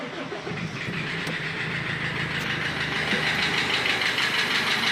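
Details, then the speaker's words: Gazelle Next with Cummins 2.8 diesel idling: steady, deep knock about three times a second from the crankshaft; a spun crankshaft bearing (turned bearing shells). "Как вы можете слышать, коленчатый вал стучит. Провернулся подшипник."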